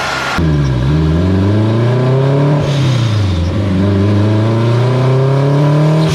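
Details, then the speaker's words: Acura RSX turbo car on a dyno with a boost problem, boost being raised while tuning, mixture around 11.0 AFR; engine climbs hard under load then pitch sags and recovers unevenly as boost drops; turbocharger blew mid-pull. "think the turbo just went. Yep. It did. That's where I see it. Yep. My turbo just gave out."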